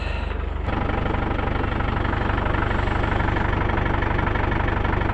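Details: 1996 Land Rover Discovery 1 300Tdi diesel, neglected but running, slight oil leak: even, regular clatter at steady idle, about three firing pulses a second, no misses or knocks; healthy idle.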